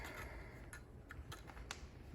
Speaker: you can hear the clicking that's the spark trying to get out so we're going to give it a path